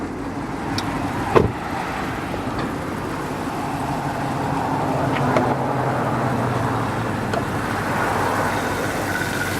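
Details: 2014 Chevrolet Camaro 2SS with 4,000 miles, stock exhaust, idling: steady, even low rumble with no knocks or misses under outdoor traffic and construction noise; healthy normal idle.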